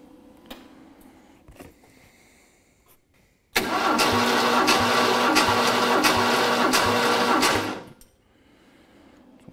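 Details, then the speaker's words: Ford 302 V8 for a 1967 Mustang, dry compression test after cam run-in: about four seconds of steady, evenly spaced cranking with no weak stroke; reads 140 psi, only 5 psi below the previous 145; even compression. "Right, 140. Well, so far, Cam, it looks like we've done good. Yeah, 5 PSI difference is not bad."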